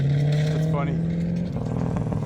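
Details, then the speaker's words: Engine note drops on throttle lift-off and a brief rising squeak chirps over it, even after tightening the jam nuts; cause not identified, owner now suspects body flex, earlier wheel bearings or brakes. "ime he lets off the throttle makes a loud squeak all right she's ready ready"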